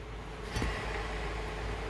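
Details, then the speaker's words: 2007 Buick Lucerne CXL V6, 150K miles, front-wheel drive: hand-spun driver-side rear hub quiet with soft hiss, no grinding; the passenger side was noisy and causing a trunk-area rumble. Normal bearing. "very quiet obviously that first one was very noisy and i'd like to replace it"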